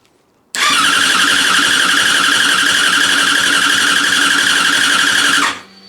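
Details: Yamaha FZ6 first start after a project rebuild, running without a silencer, fuel pump primed: the starter catches and the engine fires straight into a loud, steady, even open-exhaust run, a healthy start.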